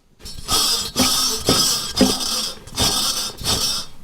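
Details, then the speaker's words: Chevy Vortec V8 truck idler pulley spun by hand: a rough, gritty whir with a faint whine from bad bearings. This pulley commonly fails. "Yeah, man, that's bad. When y'all hear nee like that, that's the sound it makes. It's making that sound. Bearings are bad."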